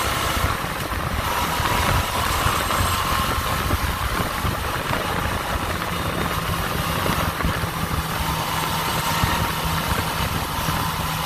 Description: Rattling noise around 6,000RPM usually when passing through and around 51mph. Unknown cause.